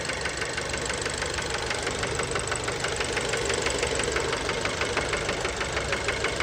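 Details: Fiat Bravo 2, 1.4 T-Jet 150 HP, 215,000 km, recently serviced, recorded close to the engine at idle: a sharp, even knock about three times a second. Worn rod bearings knocking; cause unknown, car scrapped.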